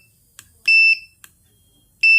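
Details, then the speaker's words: AC PCB (inverter/non-inverter) after repair and reconnection, powered on: a faint click, then a short steady high beep, repeated once; board powers up normally. "Power on பண்ணுவோம். Okay, on ஆயிடுச்சு பாருங்கள்."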